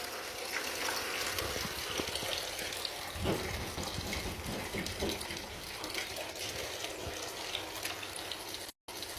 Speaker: I could hear it hissing really bad. I mean, this was a huge pinhole in this l